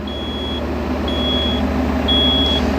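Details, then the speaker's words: Grove GMK5130-1 mobile crane upper deck during limiter/anti-two-block test: three high half-second beeps, one per second, over steady diesel rumble, warning the load limiter is in override after the error cleared. "Alright, error's gone. Telling us that we're in override."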